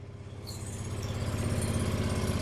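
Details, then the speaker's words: John Deere 445 garden tractor, first start after about 8 years parked, engine cold: catches and settles into an even quick pulsing idle, a little smoke, oil light off, charging. Normal cold idle. "Blowing a little smoke because it's cold."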